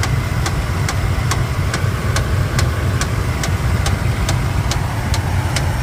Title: 2013 tundra lower engine knocking sound?